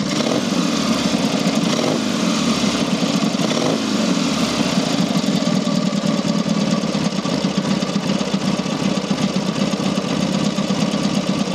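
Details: Rebuilt Matchless G12 twin (new crankshaft reground undersize with new shells, conrod, main bearing; scored barrels and pistons cleaned up) after road test; steady, even tick-over, no misses or knocks, running clean. Normal idle.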